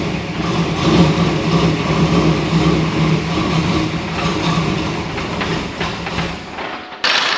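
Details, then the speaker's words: 1996 LT1 Camaro with a failing alternator (third in weeks) causing electrical interference rather than a charging fault; uneven lumpy running with irregular stumbles and surging, misfiring, before alternator replacement. "And as you could tell that this thing was not running very good just off the get-go coming in"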